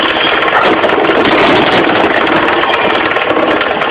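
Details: 4G15 carburetor engine at idle with a fast, light knocking low at the front from the loose crankshaft pulley. The pulley was not replaced; the knock was fixed by tightening it.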